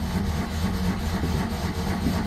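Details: 1982 Citroen 2CV flat-twin, cold start after sitting about 8 months, with choke after strong cranking: uneven low putter as it catches and runs roughly for a couple of seconds, struggling to keep going.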